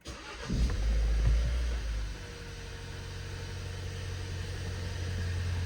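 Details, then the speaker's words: Ford Focus after replacing failed electric power steering rack (plug and play, no coding): engine cranks, catches and settles to steady low idle with no whine, groan or knock from steering; quiet, rack healthy. "quiet as a mouse is exactly how it should be there you go so yeah it was just a plug and play"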